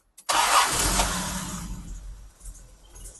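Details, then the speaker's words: Jaguar E-Type 4.2 Series 2 with three HD8 SU carbs, before tune: engine catches with a burst, then settles into an uneven, stuttery, spluttery stumbling beat that sags while revved; rough running, needs a tune. "Just get a feel for the momentum of the engine and its tone. It's a little bit stuttery, spluttery."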